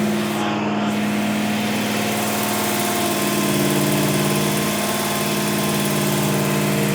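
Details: Old Dodge Ram, rebuilt carbureted engine (cam went flat on first break-in) on two-stage cam break-in, 80 psi oil pressure: raised steady idle with firm even hum, no tapping or misses; running cleanly.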